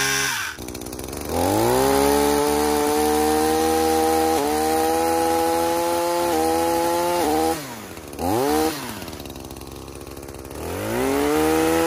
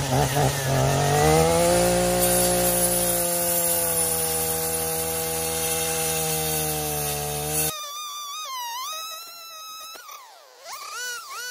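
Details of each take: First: Echo PAS-2620 multi-tool with pole saw attachment and freshly tightened sharpened chain cutting branches: high steady buzz dips slightly as the blade bites then recovers; barely any bogging, healthy strong engine under load. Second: Echo PAS-2620 multi-tool with attachment cutting: engine note sags and labours at a lower drone as the blade gets pinched and catches; bogging under cutting load, with a dull blade suspected.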